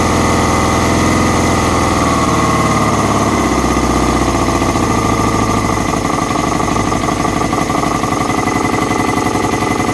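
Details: Kawasaki ZX-6R: the engine revs, then settles into an uneven, popping idle from a vacuum leak.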